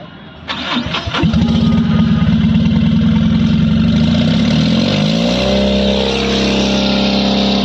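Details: Mahindra Maximo diesel with long cranking, low pick-up and codes P0193 and P0118, restarted after codes cleared: brief crank, catches within about a second and settles into a steady, even idle; starts cleanly.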